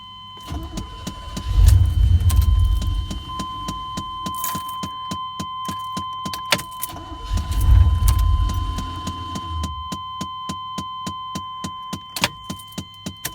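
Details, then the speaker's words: 1991 Chevrolet Scottsdale pickup, battery checked and charged: key turned repeatedly gives only sharp clicks and a brief low thump, engine never cranks; bad starter solenoid with a dead spot in the starter. "So what's going on is the starter has a bad solenoid on it, and you could be driving somewhere and cut your vehicle off, and you come back out from getting your groceries or whatever, you know, getting your little snack to eat or something, and come out and turn your key on and won't do anything."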